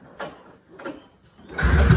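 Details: 1980 Ski-Doo Blizzard 5500 vintage snowmobile, first start attempt in many years: two sharp recoil pulls that don't catch, then a short rough sputter that dies. It fires briefly but won't keep running.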